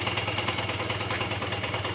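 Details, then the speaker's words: Honda Dio AF-24 two-stroke engine, rebuilt from scratch to cure a knock, running at low rpm to bed in the crank seals: soft, even putter at low idle with no knock or rattle; normal idle. "еще раз за видео предатель мягко работает без каких-либо других лишних звуков я думаю вас лечит прошел сегодня четко работает"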